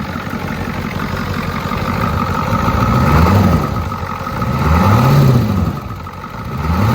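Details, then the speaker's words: Ford 6.9/7.3 IDI diesel, simulated cold start after sitting four to six hours: the clatter swells and drops every second or two as the engine tries to rev itself. This surging cold idle does not occur hot and points to possible fuel-side air intrusion. "Basically on a cold start, it would sit there and try to rev itself which I will now try to simulate what that sounded like."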